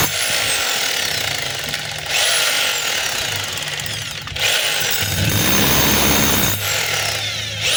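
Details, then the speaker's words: DeWalt D25033 rotary hammer in chipping mode runs, then cuts out and restarts as the cord base is moved; power drops out when the cord is pulled down, so the cord is broken at its base. Plug and brush holder to be replaced. "Tapos pag ginalaw natin itong cord, yung pinakapuno, andar yan. Pag hinatak natin pababa, namamatay. So ibig sabihin, putol yung pinakapuno."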